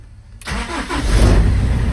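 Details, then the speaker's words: BMW M47 diesel engine converted into a Ford Transit van: brief crank, catches at once and settles into a steady even diesel idle; starts perfectly fine, normal diesel start. "Starts perfectly fine."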